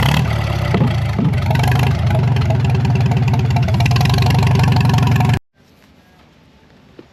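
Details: Narrow-front Farmall M tractor, previously stuck, first run in many years after head work: steady, even low thump of about four firings a second for five seconds before shutting off; smooth, healthy idle, carb could use tuning.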